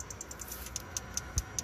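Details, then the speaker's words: 2006 Dodge Ram 3500 5.9L diesel, crank/no start with no communication with the ECM after new batteries: engine off, crisp relay clicking about five times a second that speeds up when the PCM connector is moved; pin retention fault at the connector. "So I moved that connector, and it's doing that click, click, click again. Slow click, I move it, goes faster click."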